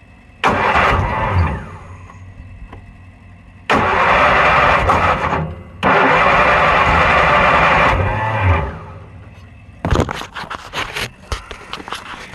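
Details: Kohler Magnum 20 engine at its first start attempt after repairs, jumped at 12 volts: short cranking bursts with a rising whine that cut out abruptly as the starter disengages; broken starter magnets are the cause.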